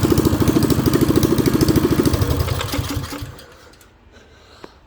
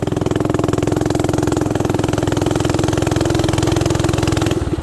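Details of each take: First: Coleman CT200U mini bike single-cylinder with new carburetor and plug, after gasket air leak fixed: lumpy uneven chugging about three seconds then fades and stalls; rough running, debris or water in tank suspected. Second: Coleman CT200U mini bike, warmed up and ridden under load with the adjusting screw set way out: a loud, steady, fast exhaust beat that pulls cleanly with no misses or knocks; the owner plans a governor change and a valve adjustment. Normal running.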